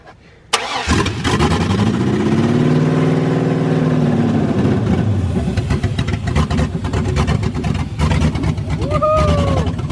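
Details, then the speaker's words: 1979 Ford F100 with LS V8 swap, first start on fuel: cranks, catches and settles into a lumpy, uneven, stumbling idle; rough running from a large vacuum leak, runs better when finger covers it. "yo dudes I figured out exactly why it's running like a [ __ ] tractor this huge vacuum like I don't know where the sensor with check this out I'm starting to put my finger in here it runs so good"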